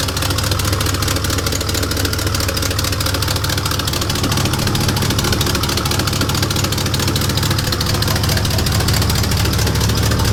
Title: Huge Exhaust leak i need to fix